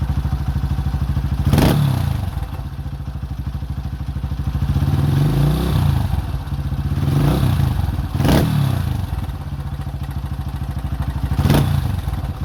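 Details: 2005 Honda CRF150F, a former no-start that then ran high without idling (a carb issue), after valve adjustment and carburetor tune-up: even single-cylinder thumping at a steady idle with a few sharp throttle blips that rise and settle cleanly, running properly.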